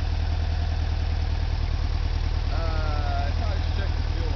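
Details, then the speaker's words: 1976 Volkswagen camper bus engine, believed rebuilt around 2006 with under 12,000 miles since, warm; even steady low thrum at idle with no knocks or misses; healthy normal idle. "sounds are wonderful it is so great to hear that bus run"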